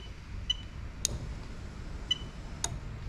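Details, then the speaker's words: Toyota Sequoia (2002–2004) 2UZ-FE non-VVT-i engine on a rebuilt manual-gearbox harness with remapped ECU, engine off: crisp single fuel pump relay clicks as it is switched, with the fuel pump whirring. Normal ECU-controlled fuel pump relay operation. "all right so what I'm going to do now is I'm going to flick the button and you're going to hear the fuel pump relay kick in"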